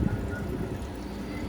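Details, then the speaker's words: Manitowoc ice machine unused for a year, recharged with 24 oz after fixing a leak at the TXV bulb; the condenser fan hadn't come on before because of the low charge. Just after startup, a steady, low whooshing hum with no rattle: the condenser fan runs normally. "she just got started up she's coming around here you can hear the condenser fans running"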